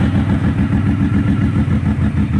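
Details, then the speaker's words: Ford Windstar with a damaged exhaust: the engine chugs with an uneven, lumpy beat and recurring stumbles. A bad misfire of unknown cause; possible past head gasket failure is suspected. "and it's still a horrid misfire but we uh [Music] are trying to figure out why it's running like it does"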